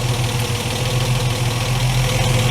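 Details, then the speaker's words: Ford Capri Mk1 3.0 GXL Essex V6, carburettor, after repair, started with cold-start spray; smooth even idle, steady low rumble, no hunting; spraying around it for air leaks gives no change in engine speed; warm-up still slow. "oh listen to that Idol let have a little sprits around make sure we haven't got any slight air leaks still nothing you are there's no change in the engine speed"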